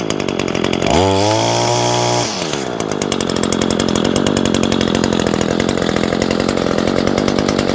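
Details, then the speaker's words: New Echo SRM225 two-stroke trimmer, first start after priming with choke on at 100°F ambient, catches and climbs quickly in pitch, then settles to a steady, even buzz with no misses; healthy normal running. "It does have that Echo, that signature sound. Comes with a speed feed head."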